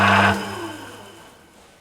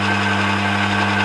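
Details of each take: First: Emco Maximat V10-P lathe after cleanup and a shear pin fix, run through its speeds in neutral. At 248 rpm there is a steady whirring drone with a fast faint clatter; the gearbox sounds rattly, possibly from looseness. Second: Emco Maximat V10-P lathe in neutral, run through its speeds from 60 rpm: steady, even headstock gear hum without knocking. The slowest speeds sound slightly rattly, but overall it doesn't sound bad. Normal gearbox running noise.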